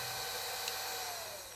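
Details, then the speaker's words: Cheaper brushed-motor portable turbo hand fan, 1800mAh battery, running: steady high whine with faint hum, fading as it spins down, lower airflow; normal running. "প্রথমে আমরা কম দামি ফ্যানটি চালাবো। এই ফ্যানটি এমনই শব্দ করে এবং বাতাস কিছুটা কম।"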